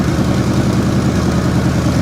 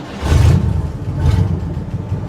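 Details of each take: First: 1960 Chevrolet Impala that sat for years, warming up at idle after a surging and fuel-dripping fix: loud, dense, uneven burble with lumpy low rumble, some smoke and exhaust popping; running rough but coolant starting to circulate. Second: 1960 Chevrolet Impala small-block V8, revived after sitting 32 years, started cold after two days parked: it sputtered at first, then settled into a deep, even, smooth V8 rumble with two quick throttle blips and no vibration.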